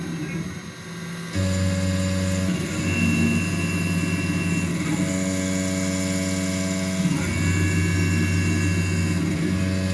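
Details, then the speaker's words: Langmuir MR-1 CNC mill with upgraded X/Y motors and new couplers, 6-flute end mill in steel at 8,000 RPM, 40 in/min, 10 thou stepover: steady spindle whine, even cutting tone, no chatter; clean smooth cut. "That sounds really good."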